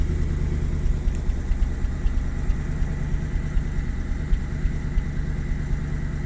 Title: BMW 735i E65 cold start misfiring